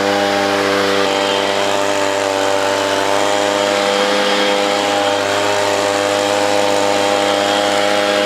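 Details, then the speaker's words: Echo PB-200 leaf blower, a roadside find, running after WD-40 on the throttle/stop control: a steady, even high-pitched two-stroke drone that runs well but may rev slightly low. Owner suspects a dirty air filter. "well that was easy works good it sounds like maybe it could rev a little bit higher maybe that air filter is dirty"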